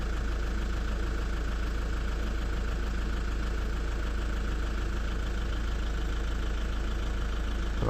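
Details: Lexus IS220d diesel after repair of an EGR fault: a steady idle with an even low clatter around 200 beats a minute, no misses or hunting. No codes, drives as it should; normal idle after repair.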